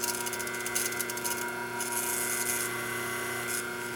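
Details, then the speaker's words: 1976 General Electric Q174461 motor for a three-belt White Westinghouse front-load washer, 1/2 hp, 1725 rpm, 115 V 60 Hz, shaft gripped by hand to load it: steady electric hum with a dry rub coming and going; pulls the load normally. "If I grab the shaft here like this, I can probably get it up to about it'll burn my hand up."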